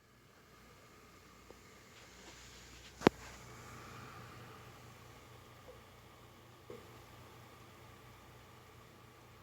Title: Synology Clicking Noise